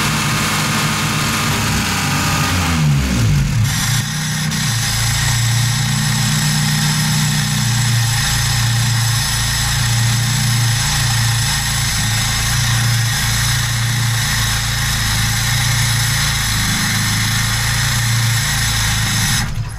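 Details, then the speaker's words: VAZ 2107 carbureted engine at idle after reviving a stall-and-no-start: hiss that cuts in and out as the faulty electronic unit gives wrong commands to the electro-pneumatic idle economizer valve. "здесь другая проблема слышите кты как бы шипение и оно прерывается К сожалению электронный блок даёт неправильные команды пневмо блок электро пневмоблокировка"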